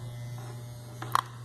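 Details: Wahl Keep hair clipper after long use: steady hum, then a few sharp rattling buzzes from a loose, worn internal part.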